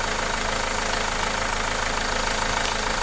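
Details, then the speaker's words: Renault Megane 2 engine after repair: steady, even idle with no knocks or misses, no longer shaking; previously vibrated, shook and lacked power. "نشوفوا تو معنا الموتور كيف ارتاح، كيفاش ما عادش فيه حتى مشكل."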